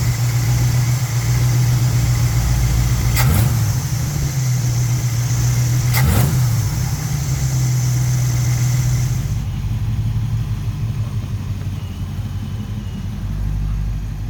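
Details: '78 Monte Carlo 305 (5.0) small-block V8, rebuilt 2004, probably under 50 miles, rebuilt Edelbrock Performer 1406 carb tuned, timing 16° BTDC, idle mixture screws adjusted; deep even burble, no misses or stumbles, two brief clicks; normal idle.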